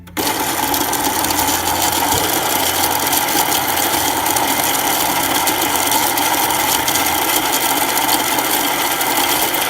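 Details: Baratza Encore coffee grinder after repair for not grinding, clogged chute cleared and burrs cleaned: constant even motor whir with dry rattling hiss of beans through the burrs; grinding properly.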